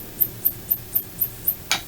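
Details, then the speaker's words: 1986 Macintosh Plus 1MB after recapping and switch cleaning, power supply on bench with digital load: about four sharp chirps a second, the supply trying to start and cutting out each time ("floop floop"); owner suspects insufficient load. "okay now I can hear the the power supply is failing to start I think the technical term is like floop floop floop"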